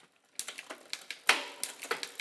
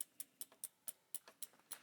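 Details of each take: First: Bicycle rear derailleur after high limit screw adjusted (backed off until quiet in second cog), shifting tested roughly: crisp separate clicks as chain moves across cogs, no lingering rattle or grinding; normal shifting. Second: Bicycle rear derailleur with the B-tension set too close: sharp, light ticks about four or five a second as the cranks turn. The upper guide pulley is striking the largest low-gear cog, so the B-tension needs dialing out.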